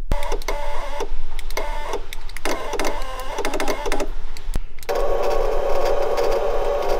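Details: VW Golf 3 power window: short bursts of whirring motor, then a longer steady whir, with no sound of the glass moving. The window motor runs but the glass neither rises nor lowers.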